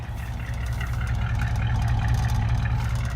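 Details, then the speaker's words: 1949 Cadillac V8 just started cold, oil pressure mid-gauge, charging strongly: deep, even, low idle rumble with steady beat and no knocks or misses. "She's cold, but she's got just under half a tank of gas. All right. Listen to this baby purr."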